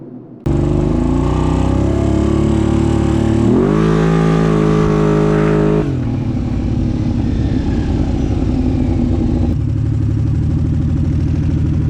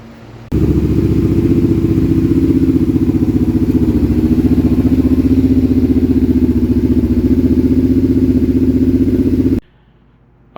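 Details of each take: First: Kawasaki Brute Force with cheap eBay Caltric camshafts: revs climb strongly, then sag and fall away, power dying off; something unusual found on the cams at teardown when compared with the OEM cam. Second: Kawasaki Brute Force V-twin after the failed Caltric camshafts were removed and the engine reassembled, high idle still to be adjusted down: strong, even, lumpy V-twin idle with no knocks or rattles, fires up much easier and sounds far better; normal running.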